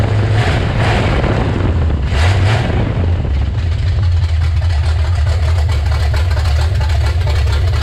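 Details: Freshly installed, revived 350 V8 in a C10, first start in six years: deep, even rumble with quick throttle blips, then steady smooth running with no knocks or misses; sounds great and runs awesome, normal running, though it leaks oil at the valve cover.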